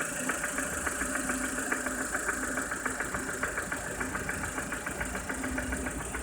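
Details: Lada Kalina Cross, engine warm at idle: sharp, fairly regular tapping of roughly 105 knocks a minute over a steady engine hum; engine knock of unknown source.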